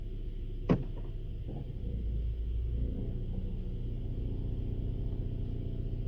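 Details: 2016 Honda Civic, about 78,000 km, noise started after a dealer oil change: sharp click, then rough grinding, gargling low rumble while idling stopped in Drive at traffic signals, worsening over time.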